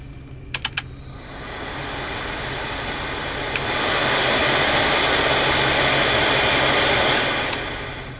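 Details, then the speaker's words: Volvo 240 blower motor run through its speed settings with key on; switch clicks then steady airy whoosh rising and easing with fan speed, humming with no squeak, healthy blower. "If it just sounds like a regular motor going woo, just humming along fine, it's no big deal."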